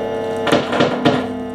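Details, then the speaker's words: MagiDeal prewired Strat pickguard on an electric guitar: a steady low hum sits under the plucked strings and never fades between notes; a grounding/earthing problem is suspected. "now I believe you could hear quite a bit of hum [Music] not about left any metal now a mighty sure to imagine that's some kind of earthing problem"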